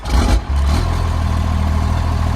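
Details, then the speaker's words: 1997 Dodge Ram 2500 4x4, 5.9 12-valve Cummins diesel, not run for a year, lost some prime: brief cranking, then catches and settles to a steady, even low rumble with no knocks, oil pressure up; normal start and idle. "and she's got oil pressure which it should also the wiper fluid is low"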